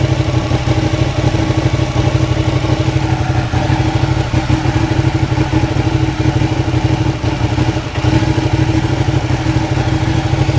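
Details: Ducati Panigale 959 motorcycle: engine idles with an uneven, lumpy beat, then abruptly dies near the end; rough idle and stalling, cause unknown.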